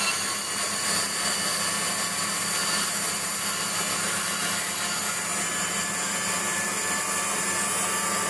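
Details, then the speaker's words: Waldown/Dumore tool post grinder finishing a bronze bush bore on a lathe, stone worked in both directions with fast in-out traverse and very light cuts: steady, even high hiss with no surges or gaps. Uniform contact, so the bore is finished. "so when that's it's all stopped we'll know that uh and it's a constant sound all the way through we know that the job's done"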